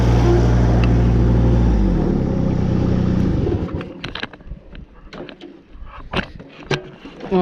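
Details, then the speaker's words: Woods 6215 mower with Kubota three-cylinder diesel, after spindle bearing, U-joint and belt replacement, deck and blades refitted: steady diesel drone spinning smoothly two seconds then winding down cleanly, no knocks or bearing growl; repaired, normal running. "all we got to show for this episode folks this woods mower is fixed hopefully the customer doesn't blow it the [ __ ] up this time no guarantees though see ya"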